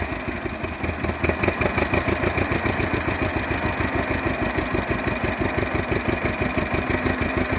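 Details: 1948 John Deere B two-cylinder converted to propane with a 12 V GM distributor, in neutral after starting: slow, even putt-putt at about three beats a second, steady, no misses; normal idle.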